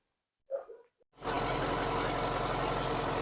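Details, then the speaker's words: VAZ 2109 injector with poor cold idle and high fuel use that runs better after about 10 minutes of warm-up, after swapping a part with no change: a lumpy, uneven idle as if one cylinder drops out; weak spark suspected on cylinder 4, ignition leads already replaced. "Ну що нічого не помінялось то що тільки не глохне А так як троїло так і троїть"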